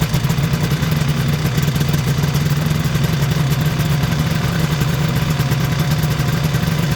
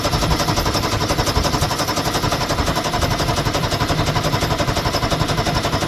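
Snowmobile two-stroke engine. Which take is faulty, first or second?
first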